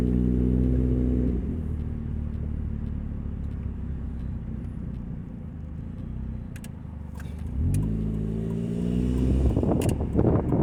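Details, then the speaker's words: 2000 Nissan Altima, an old car owned since 2010, pulling away while driving. A deep, throbbing rumble far too loud for a small car, from an exhaust leak, before repair. "That noise is not usual for such a small car. I hope after we repair the car, I'll show you what we replaced."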